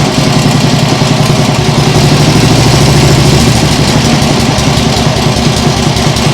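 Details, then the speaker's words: Nibbi G619 walk-behind tractor engine after carburettor work to cure hunting; low-throttle idle, deep steady chug only slightly uneven at times, possibly occasional hiccup, vast improvement. "well that sounds really nice now I think that might still be a bit of a hiup sometimes but it's definitely a vast Improvement"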